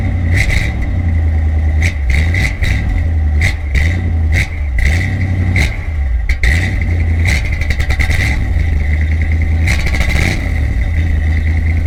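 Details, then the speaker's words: 1980 Corvette C3 V8 with Flowmaster 40 exhaust, cold start: loud rumble through repeated revs with brief dips as the engine stumbles and cuts out. Owner suspects the carburetor, which is not getting any better; cause unconfirmed. "And you heard in the exhaust clip, the way it just cuts out like that. The carburetor is not getting any better, obviously."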